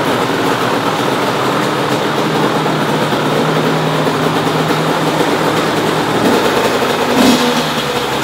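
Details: 2005 Honda CR85R Expert 85cc two-stroke running after the faulty spark plug was replaced with a new NGK BR10EG: a crisp buzz rises and falls cleanly with the throttle and fires evenly; runs normally.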